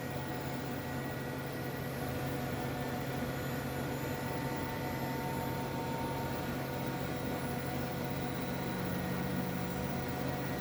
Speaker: you can hear your turbo accelerating just want to point out if you see a it's a green light now it was yellow the yellow light means that it's uh not at full speed